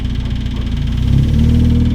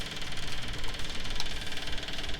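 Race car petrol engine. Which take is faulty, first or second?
second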